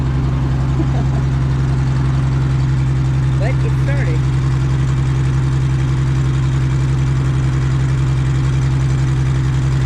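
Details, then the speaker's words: 2003 Chevrolet Trailblazer with no exhaust system, just driven off a trailer, cuts off in third gear: deep, loud, droning rumble like a diesel truck at idle; loud exhaust from missing exhaust system. "Not a mechanic, but I don't think it's supposed to sound like that. >> It sounds like a truck, like a diesel truck. >> Has no exhaust."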